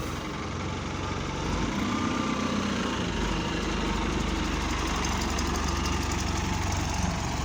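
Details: Go-Ahead London SE198 bus on route 170, older XFE-converted unit: steady diesel idle with a loose uneven rattle about four beats a second; unusual engine noise, source unclear.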